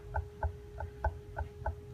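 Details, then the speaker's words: Vehicle with clattering noise at cold start in the morning or after lunch; steady light knocking about four times a second over a faint hum at idle, pump visibly wobbling from a worn water pump bearing; replacement planned. "that is a part that the bearing inside the water pump that's making it move like that"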